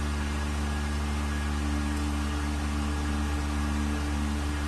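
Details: Vacuum pump on a 1600-litre mixer during a vacuum test with lid bolts fastened and an empty chamber, gauge vacuum rising toward 0.08; even low hum and smooth whir, no knocks, rattles or rising whine, quiet good-quality pump running normally.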